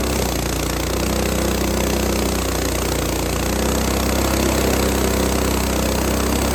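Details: Lifan 7hp (GX200 clone) on a Frontier OS18 sawmill, after replacing a head gasket blown by a loose bolt, pulls steadily through very hard dry ash with a sub-par blade; even note, no knocks or misses, strong normal running under load.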